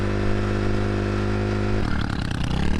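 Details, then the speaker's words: 650cc single-cylinder motorcycle, hard to kick-start after riding a wet riverbed: held at high revs it sounds rough, then stumbles into uneven popping as revs drop, a bad misfire; must stay revved to run, no blue smoke, air filter suspected wet. "we finally got it running again but it wasn't running well so you can hear the misfire we have to keep it revved up or it won't stay running"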